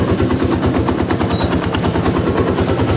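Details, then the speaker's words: XR200 single-cylinder after valve adjustment and new timing chain and tensioner: loud, fast thumping at idle with the top-end ticking gone; normal idle, only some clutch-side noise remaining. "Paandarin natin yan nawala na yung lagatik."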